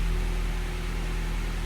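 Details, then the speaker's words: 1997 Honda Prelude after valve job, head resurfacing, new head gasket and manual timing tensioner, crank-no-start traced to the crank position sensor: starts, low smooth steady idle, no misses or surging. No check engine light. "there it is so now it starts it has no check engine light"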